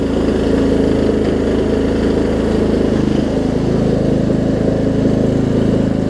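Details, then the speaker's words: Murray Select 42-inch 16.5 hp riding mower after new gas tank install, started: steady even single-cylinder chug at constant speed, no misses or knocks, running normally. "It's got enough juice to crank it over, so that's what matters. Runs like a champ."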